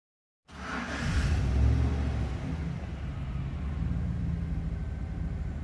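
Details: 2011 GMC Sierra no start: starter churns at an uneven three or four beats a second without firing, no fuel delivery; caused by the fuel pump relay activation wire, with the fuel pump control module involved. Crank no start, relay wiring fault.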